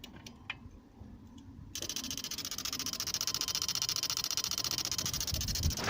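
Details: Barn-find Volvo 480 ES 2.0 petrol, ignition switched on: fast, even buzzing chatter from the ignition/fuel pump relays under the fuse box; relay chattering.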